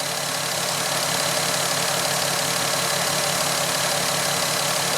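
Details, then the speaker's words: VW Golf R32 non-runner, fuel-fouled cylinders six and five with suspected leaking injectors, idling after sensors and fuel pump were reconnected: a very quiet, dull, uneven, strained churn at about three soft pulses a second, a labored, weak rough idle. "so now it's very quiet very quiet not sure how I feel about this sounds very labored doesn't it"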